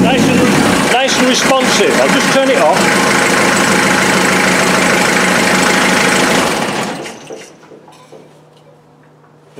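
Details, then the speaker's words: Land Rover Defender 2.5 naturally aspirated diesel on first start after fitting new injectors: catches and holds a steady, even idle clatter for about seven seconds, then shuts off cleanly; the manifold is evenly hot and all injectors are firing evenly. Normal idle. "is nice and evenly hot those injectors are firing perfectly"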